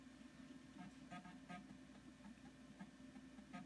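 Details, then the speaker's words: Macintosh Color Classic floppy drive reading a disk while an installer starts: soft, quiet ticking and short seeking bursts over a low motor whir. Normal floppy drive reading. "You hear the drive whirring away."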